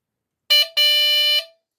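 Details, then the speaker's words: Replacement buzzer in a Lionel diesel locomotive, run on the track under power and triggered via the relay: two raspy buzzes at a steady high pitch, short then about 0.7 seconds. Tone adjustable by screw, still higher-pitched than the original. Working horn. "So this one too also is still higher pitched than what the original one was."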